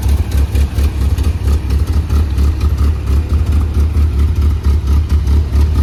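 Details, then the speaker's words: 1981 Toyota Pickup 4x4 engine idling on its first run since a rebuild, with a Weber 32/36 carburetor and a performance cam; a deep, lumpy, loping idle at about ninety pulses a minute. Normal idle, the lope coming from the cam. "I also forgot to mention that this motor does have a performance cam in it so um yeah you're gonna be able to uh hear it so I'll show you guys what the motor sounds like"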